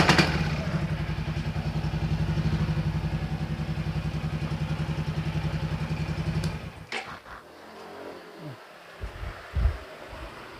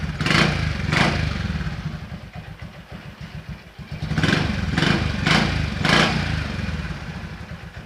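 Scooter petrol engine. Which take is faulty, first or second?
first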